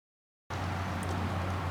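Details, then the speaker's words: 1995 Cadillac Fleetwood at idle in January 2014, before the mufflers were replaced: a loud, deep, blatting rumble with no muffling, as exhaust escapes under the car through very badly worn mufflers. The car also had oil and coolant leaks. "it had very very bad Mufflers it also had an an oil leak and coolant leak so in January 2014 the car sounded like this"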